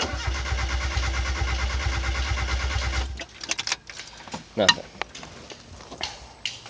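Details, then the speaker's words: 1991 Mazda Miata, new clutch then failed fuel pump and suspected jumped timing, loose injector refitted, fuel pump not heard priming: starter turns engine about three even beats a second for three seconds, never fires; crank no start. "he fixed the fuel the fuel injector that was loose it's no longer loose but it still won't start"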